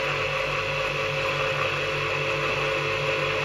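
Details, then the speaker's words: Old Soviet 380 V electric motor, unused since overhaul with freshly greased bearings, running star-connected via capacitor without load: steady hum with a faint even bearing whir, harmless as the grease spreads. "Немножко подшумливают подшипники, но это ничего страшного. Он ещё он в эксплуатации не был."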